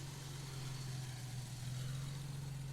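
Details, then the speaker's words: 1959 Jaguar XK150S Roadster, warmed up, carburettors just overhauled: an even, steady low idle with no misses, knocks or hunting. Normal idle. "Runs beautifully smoothly. We've just been through the carburettors on this car,"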